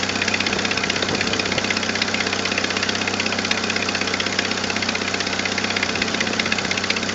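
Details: 1997 Jeep Wrangler TJ 2.5L idling: quick, steady ticking puff from an exhaust manifold leak. Repaired by replacing the leaking manifold gasket and a missing manifold stud, plus a 4.0L throttle body upgrade.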